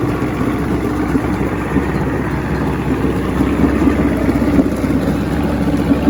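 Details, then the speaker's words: 1970 Evinrude 85hp two-stroke outboard, hydro-electric shift, about 50 years old, new water pump impeller, running off a boat: even steady idle burble, no stumbling or rattles; a nice smooth-running motor that outlasted its boat. "that's really nice just needs a boat beat the motor outlasted the boat hope that it was on anyway so jake if you want it come get it man this is all yours i'll even help you mount it on the boat nice running motor can't wait for spring"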